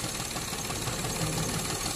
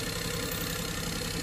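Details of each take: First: Perodua Viva with strong engine shake and rpm hunting when the aircon is switched on: idle stays lumpy and uneven, and pulling the second coil's plug lead changes nothing, so that coil is dead and misfiring. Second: Perodua Viva after replacing the faulty ignition coil, which caused engine shake and rpm hunting with the aircon on: steady, even idle with a smooth low hum and no stumble or misfire.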